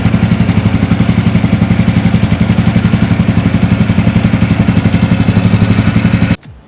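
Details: Four-stroke engine after valve clearance adjustment, idling about 3 minutes to reach 60 °C working temperature before compression test: smooth, regular low putter, no ticking or misses until switched off; normal idle.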